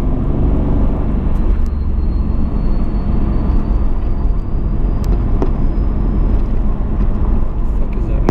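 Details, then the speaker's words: 1991 Nissan R32 GTR with an RB26DETT engine, road test after oil pressure repair, cruising and now making about 25 psi: over steady road roar, a thin, high, airplane-like whistle slowly climbs in pitch. Source not identified. "the fuck is that noise? It's so weird. It sounds like an airplane."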